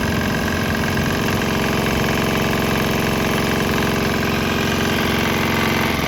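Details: Swan X 165F Chinese single-cylinder diesel running on 100% canola fryer oil with about 10% leftover diesel still in the tank; steady, even chugging with a solid regular beat and no misses, running fine.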